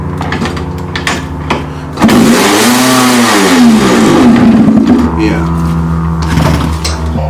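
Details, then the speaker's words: 1989 Yamaha YZ250 two-stroke after an engine rebuild, no hand on the throttle: idles, then revs climb and fall back on their own over a few seconds; engine revving by itself, cause unknown. "I'm just starting up real quick just so you can hear what I'm here open here see my hand isn't even on problem"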